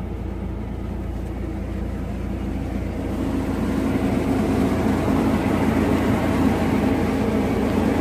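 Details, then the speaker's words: Steady, even low idle with no knocks, misses or hunting from a Chevy Blazer/GMC Jimmy 4.3 V6 after head gasket replacement, oil pressure 40–45 psi and stable, waiting for rpm to drop; normal idle. "temperatures on the oil is 40 psi 40 45 psi which is pretty good looking good looking stable"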